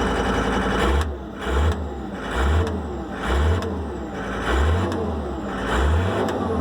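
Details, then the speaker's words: John Deere wheeled skid steer diesel, no-start fixed after priming the fuel filter to bleed air and freeing seized, pinned-down linkage: runs with a rhythmic rise and fall about every second, no knocks or misses; normal running. "But now it fires up, so people gotta stop fucking jamming on shit."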